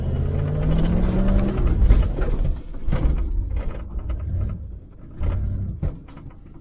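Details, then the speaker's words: Neglected 1977 Chevy Malibu Classic V8, 72,702 miles, last oil change in 2005, while driving: deep, even burble rising and falling smoothly with the throttle, no knocks or misses; idle thought a hair low; normal running. "She runs damn good. I think the idle's just a hair low"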